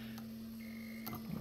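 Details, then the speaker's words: 1980 VW Rabbit with CIS fuel injection during a fuel pressure test: a steady low electric hum with a faint whine for about a second, then it fades. This is normal fuel pump priming; earlier testing showed about 75 psi. "here's a fuel pump then you once you hear the fuel pump prime you pulp on this and I'll allow pressure to flow to this guy"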